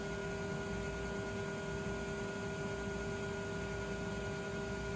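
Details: Failing original MFM hard drive from a 386 machine, reassembled after a simple fix: spins up with a steady even whine and smooth hiss, no clicks or scraping. Runs normally with no noise.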